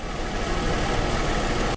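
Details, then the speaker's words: Car after coolant leak repair, water refilled, morning start: fires right up into an even, smooth idle with a steady low drone, no ticks or misses; runs well, no leaks. "Well, she fires right up. She runs really well."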